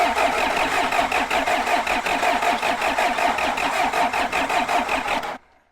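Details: John Deere 310 backhoe diesel, fuel system bled from primer pump through filter and injection pump to injector lines; even starter chugging about three compression pulses a second for five seconds, never fires; suspected weak fuel pump or bad cutoff switch.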